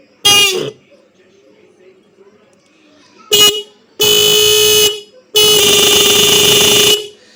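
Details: Bike horn on a 12 V supply after its adjuster was set and tightened: three blasts, a short toot then two long steady ones, with a full clear tone and solid pitch; the horn sounds properly.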